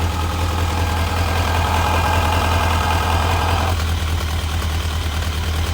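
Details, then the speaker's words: Kawasaki 1000 ATV V-twin after airbox delete with individual filters and rejetted carbs, in neutral, no choke: steady, even deep idle with no misses; real smooth, loud crankcase vent. "neutral and let's see no choke drawing hey there we go smooth too real smooth"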